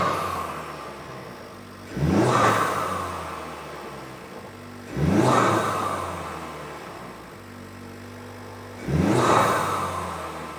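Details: Honda Civic Type R FL5 turbo petrol just after fitting a Turbosmart Kompact BOV: three quick blips rise sharply and fall back to a calm idle with a short rush of air; the valve vents cleanly.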